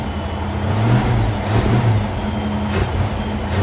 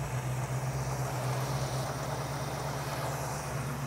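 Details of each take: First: 1967 Ford Mustang with a carburetor being tuned for a dead miss. Revs hesitate and sag when the throttle is blipped. Stumble on acceleration, typically the accelerator pump, which was found not hooked up. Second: 1967 Ford Mustang with a carburetor and DUI ignition, after tuning with a vacuum gauge. Low, even, smooth idle with a steady beat and no misses. Idle is fairly steady on the gauge, though the idle screw is already off its stops. Normal idle.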